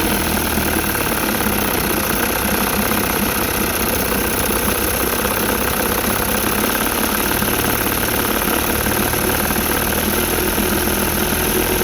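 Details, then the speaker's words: Rebuilt 1960 Evinrude Fisherman 5.5 hp two-stroke outboard in a test tank after first cold start: steady even buzz with a constant note, no misses or surging for twelve seconds; idling normally, pumping lots of water. "Let it warm up a little bit, and I'll see if I can dial the idle in a little better. Pumping lots of water."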